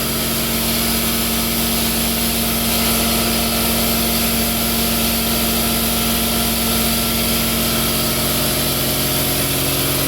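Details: Newly installed Quincy 5hp two-stage air compressor on rubber-cork pads, running under load during soapy-water leak check of the union: steady, even pump drone with constant hum, no knocks or rattles; healthy.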